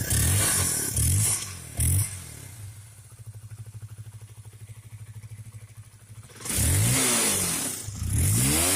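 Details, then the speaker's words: Honda CBR that dies and stumbles while riding, especially in rain: engine revs then drops to a weak, uneven stumbling idle near stalling; misfire caused by a rusty, dirty, moldy spark plug cap. "Saat hujan, sepeda motor sering kali tiba-tiba mati seperti itu lalu hidup kembali; Mesinnya menyala kembali saat diengkol."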